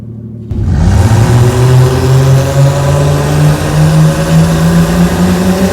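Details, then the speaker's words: 2019 BMW X3 M40i after drivetrain upgrades, launched from staging: engine revs with a steady rising drone and rough low rumble under load; something in the driveline broke, suspected front transfer case or differential, not confirmed. "I think it might have blown the motor or something. That don't feel good."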